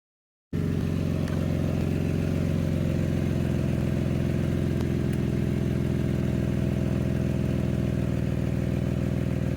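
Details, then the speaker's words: Jeep at idle after being stuck in a mud hole sounds loud, deep and tractor-like, putting along; exhaust gas escapes at a flange joint, suspected to have separated when an exhaust loop got hit, with leak confirmed using a lighter flame. "And after that, I noticed the exhaust sounded like a John Deere tractor just putting along, so came under here to figure out what was going on, and I saw this loop right here."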